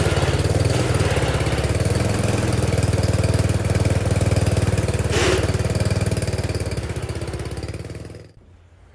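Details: Wheel Horse garden tractor started after sitting. An even, steady single-cylinder chug of about four beats a second for eight seconds, then shut off; normal, healthy running after start.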